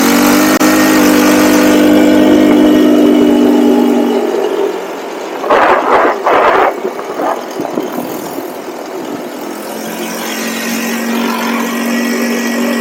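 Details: Cheap buggy's small engine during carb tuning pulls hard at full throttle, then drops away in choppy sputtering bursts before recovering; cutting out, cause unconfirmed; owner will recheck the spark plug and suspects the CDI.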